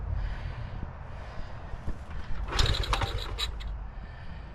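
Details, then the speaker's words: 1975 Honda ST90, cold, on choke: uneven low chuffing with kick-lever scrapes and a brief sputter that never catches; may need carb cleaning; cold-blooded, cranks but won't start. "oh it's so cold blooded woo it's trying man it's so close"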